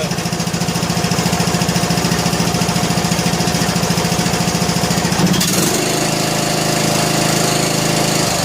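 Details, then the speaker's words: John Deere L100 lawn tractor single-cylinder engine, choked, on a weak charging battery, after loose intake and exhaust were tightened: quick even firing pulses settling to a smooth steady note, no tapping; normal running. "But it sounds pretty good. Sounds pretty good."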